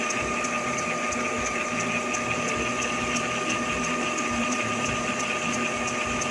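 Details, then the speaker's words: Epson L3150 inkjet with CISS refilled, after head cleaning, ink priming mode running: steady whirring hum with high whine and quick even ticking, no grinding or catching; normal ink priming cycle. "В общем, запускаем прокачку. Здесь такой режим есть. Прокачка чернил."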